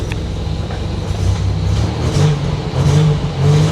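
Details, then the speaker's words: 1987 Buick Grand National, on setting 3 after a mass airflow translator and new sensor swap; owner suspects the computer must relearn. Uneven, lumpy rumble that picks up revs on throttle blips. Rough running. "It's not running well. This is very unfortunate."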